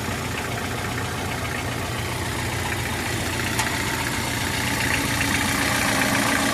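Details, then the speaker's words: Hyundai HR engine at rough idle, throwing and dripping oil from the exhaust housing, with a steady rapid knock about four per second and a harsh rattle; broken turbocharger and pistons contacting the head. "estamos aqui com uma benção uma azinha que tá fazendo o que matraca jogando óleo no bojo do escapamento tá derramando"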